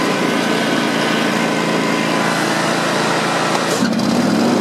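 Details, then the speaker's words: John Deere X320 mower after replacing the clutch bearing, running with a steady, even drone at constant speed and no grinding or rattle from the drive; it sounds much better, especially at idle. "So I think that was a good idea to do that. It sounds much better, especially when it idles, and it doesn't sound weird, I should say."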